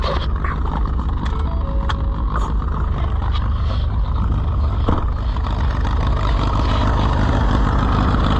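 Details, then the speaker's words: Allis-Chalmers WD tractor, possibly with a WD45 engine, first start attempt: loping, uneven low rumble that surges and sags, likely to quit. Rough running. "well let's try to get it away before it quits it's going to quit before we get there"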